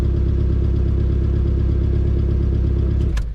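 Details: 2.2L non-Ecotec GM engine (Sunfire/Cavalier/S-10) after timing chain and crank sensor replacement and fresh oil: low uneven idle with a soft irregular flutter, three to four stumbles a second; misfire, owner suspects a bent valve, compression check pending.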